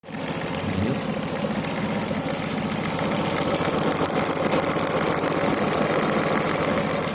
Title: Стук в моторе